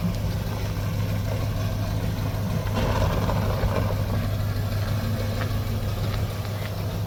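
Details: 1964 Dodge field find "Earlene", running after brake and tire work: a steady, even idle hum noticeably faster than normal; the idle is pretty high (RPM unknown), and the owner plans to turn it down.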